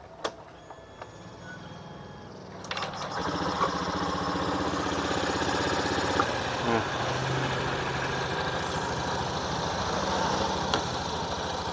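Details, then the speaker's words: Honda Beat FI eSP scooter CVT after replacing worn roller housing (pulley) and slider that caused rough noise: engine catches after a few seconds and settles into an even, smooth run with no rattle; CVT now healthy. "oke udah suaranya Udah halus jadi kerusakan terletak pada rumah roller Ya Bro"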